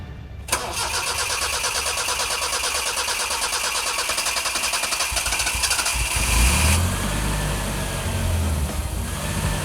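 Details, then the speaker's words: Barn-find 1984 Isuzu Impulse, first start after fuel tank work with about a gallon of fuel: starter cranks about a second, engine catches, runs roughly several seconds, then dies; kinked fuel line at the pump found. Stall from fuel starvation. "hell yeah why it turn off I don't know uh so I'm looking at the fuel pump looking for any leaks or kinked lines and voila here's a kink line that's pretty bad"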